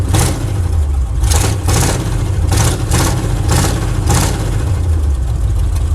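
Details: 1979 Chevrolet C10 Custom Deluxe V8 at idle: uneven, stumbling idle with irregular puffs and lopes; misfiring on several cylinders, no blue smoke, root cause not found.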